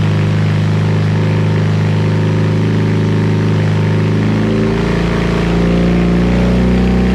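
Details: BMW R100 airhead twin on first start after full rebuild (new crank, rods, rings, seals, gaskets, head refresh), Bing carbs roughly set: even low beat settling into steady idle, slight rise, no knock or miss; healthy.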